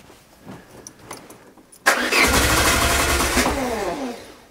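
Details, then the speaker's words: Peugeot 205 with refitted Solex carburettor: cranking catches into a ragged, stumbling run that never evens out; firing-order problem, plug leads 2 and 3 then swapped, and it runs. "soucis d'ordre d'allumage inversons 2 et 3 pour voir yes"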